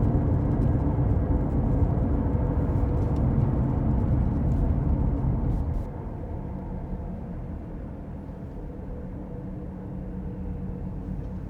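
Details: Car driving, recorded from the passenger side: steady low rumbling drone, a rolling gogo/ruru/won-won hum from the tire that falls with speed; worn wheel hub bearing noise.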